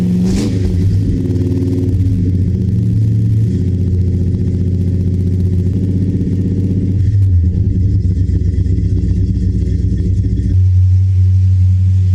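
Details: 1970 Dodge Charger, 383 big block V8, after installing Flowmaster American Thunder exhaust with Super 40 mufflers and H-pipe: deep, loud burbling idle climbing and falling with throttle blips, even and strong; healthy.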